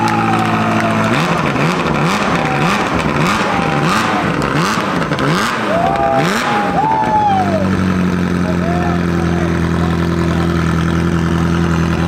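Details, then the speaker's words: Abandoned Ferrari F355 gated manual after engine-out rebuild (plugs, ignition wires, timing belts, new wiring harness), first start after flooding, no exhaust fitted: sharp revs settling to steady crisp even idle; runs cleanly. "That's it, baby! It sounds so sick. That does sound really good."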